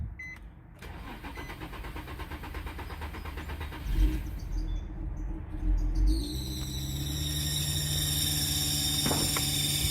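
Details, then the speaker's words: 2003–2008 Infiniti FX35 3.5L cold start: engine cranks and catches, then a loud, piercing steady belt squeal over idle for the first seconds before smoothing out; gone once warm; cold-start belt squeal. "So after the initial squeal, it does smooth out, and once the engine is warm, it does not make that noise. However, it's quite loud and annoying and embarrassing to some as well."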